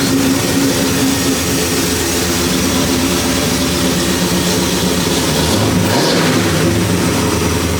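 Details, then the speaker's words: 1973 Impala 406 small-block Chevy V8 after replacing a collapsed lifter and fitting 2-piece guide plates on aluminum AFR heads, total timing about 36°. Steady warm-up idle with one short throttle blip, almost at temperature. No ticking from the top end and no lifter tap yet. "So far, this thing nice and quiet up under the hood. So I haven't heard the lifter start tapping yet, but it's not quite up to temperature."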